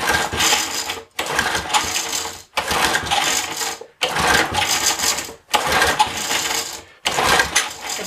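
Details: Small pull-start engine that had been sitting a long time: six quick, raspy pulls of about a second each, evenly spaced, and it never catches. Finding: cranks but won't start.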